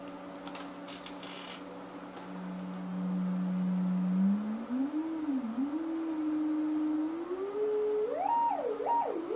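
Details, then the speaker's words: Kustom K200a (J595) speaker cabinet found with back screws out, drivers feared blown: low-volume sweep from an audio generator gives a clean tone rising into high frequency in both speakers, no buzz, rattle or crackle. Drivers work. "I think we got it in both speakers. That's cool. That's really high frequency."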